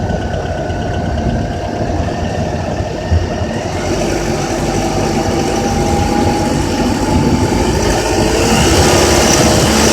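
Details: Honda Accord K24Z3 petrol engine held at 2200–3000 rpm with a light, fast metallic rattle.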